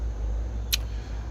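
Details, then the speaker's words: Towed-in van outside on a jump box, with a new battery, starter and alternator: turning the key gives a single sharp starter click with no cranking. A faulty starter is suspected. "Uh, and again guys, I hear the starter clicking."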